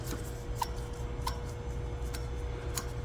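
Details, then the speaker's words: Twister T4 cannabis trimmer, stainless version, pre-run inspection with blades spun by hand: a quiet even whir with faint ticks and no growl or rumble, so the blade bearings spin smoothly and sound good. "so they spin nice they spin smooth there's no growling or rumbling the bearings sound good"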